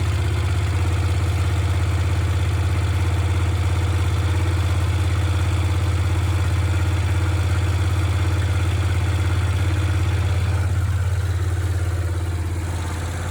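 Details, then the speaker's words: Honda CX500 started on the second try after three months left outside; a low, steady idle with an even beat and no misfires or hunting, settling slightly at the end; owner thinks the engine sounds sweet. "so not bad starts second time it's been left for three months outside the engine sounds sweet to me this thing"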